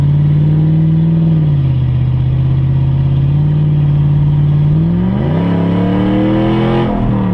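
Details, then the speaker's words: Hemi Ram truck with an unfinished straight-pipe exhaust, recorded while driving. Loud, deep V8 drone holds steady, then climbs smoothly in pitch as the truck accelerates, with no knocks or rattles. Normal running. "I'm doing the exhaust on my truck it's not done yet but uh I'll take a little drive with you guys so you can hear it let me know what you guys think about it"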